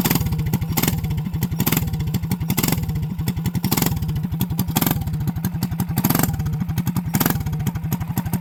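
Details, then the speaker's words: Small single-cylinder mini bike engine after a new clutch, gas tank and governor mod: steady fast even beat with throttle blips about every second. Everything checked and it runs smooth and healthy. "all right y'all my bad about that let fired up give it some hits I was looking over everything everything looks good completed good job"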